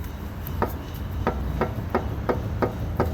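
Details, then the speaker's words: 2016 Jeep Patriot front-end inspection with the wheel rocked by hand: about seven sharp, hollow clunks at two to three a second from a worn lower ball joint; the inner and outer tie rods are also worn. "You hear that? So that's the lower ball joint on that side."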